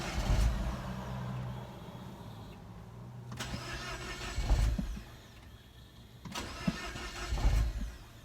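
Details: Mini Cooper R56 N18 on a cold start. The starter churns in bursts of about three seconds with long pauses and never catches, after about 30 attempts and with no fault code. The owner suspects the high-pressure fuel pump: long crank, no start.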